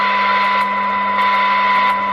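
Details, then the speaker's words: Audioline PT340 CB radio after replacing all capacitors and fitting new potentiometer; filter noise problem gone, steady clean hiss and tone with no crackle. Normal receiver audio after repair. "i haven't got that problem with the filter now if i just turn it on you can hear the difference"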